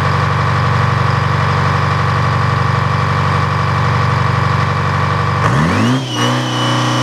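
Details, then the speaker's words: Detroit diesel engine restarted: steady, even rumble with no misses or knocks, then smooth wind-down at shutdown, no smoke; normal running. "this will be a pretty happy that uh I think he got the whole thing it sounds good"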